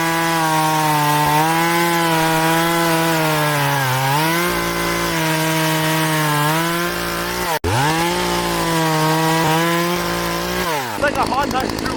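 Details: Poulan Pro chainsaw after sprocket and oil pump replacement, cutting wood: strong steady pitch dipping briefly under load and recovering quickly; cuts easily and cleanly; normal cutting.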